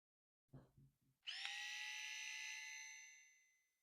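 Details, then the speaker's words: MG1199 single-headed electric head shaver just lubricated with baby oil: clicks from handling, then a smooth, steady high buzz for about two seconds winding down evenly; running freely to spread the oil. "Okay, you can hear that running. There we go. You want to do that, turn it on so that the oil is well distributed, and then just replace the head cap back on the razor."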